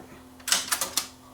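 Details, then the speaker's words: JVC KD-V300 cassette deck playing in reverse: a quick cluster of sharp, high squeaks over a faint steady hum. The deck is quiet without a tape, so the noise is traced to the cassette's own hub. "that was the tape the cassette was squeaking I wonder what that was all that noise coming from it was actually the consent itself"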